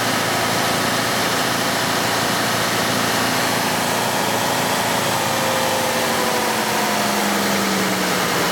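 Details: 2005 Cadillac STS V8 with a swapped engine that had VVT codes P0011/P0014 on one bank, fixed with parts from the old engine. During a scan-tool intake cam functional test at about 20%, revs are raised; it runs smooth and steady with no knocks, a normal raised idle.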